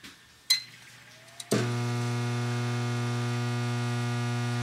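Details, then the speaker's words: Under-cabinet microwave, magnetron unplugged: a click at start, then a loud steady low buzz from a shorted high-voltage transformer, which the customer says was caused by condensation from boiling water. "all right if you can hear that buzzing that buzzing is from this high voltage Transformer that has shorted out"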